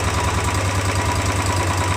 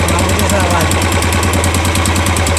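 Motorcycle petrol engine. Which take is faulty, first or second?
second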